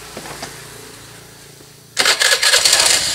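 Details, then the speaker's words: Honda Beat FI scooter with rough starter and CVT clinking, after the CVT plate was serviced and glued: quiet, then the starter spins and the engine catches cleanly with an even, clatter-free run, normal starter engagement. "bunyinya halus tetap ya tahu biasanya setelah di lem itu suaranya agak berbeda tapi ini halus nih"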